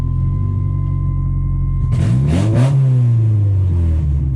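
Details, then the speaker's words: 1989 Honda CRX Si on its first test drive, exhaust suspected lost and fuel pump suspected failing; deep blatty drone swelling with revs, far louder than normal, loud exhaust likely from a broken or missing section, unconfirmed. "Doesn't sound the same anymore. So it was loud. I mean, up here flapping, that was very, very, very loud. You couldn't even hear yourself think."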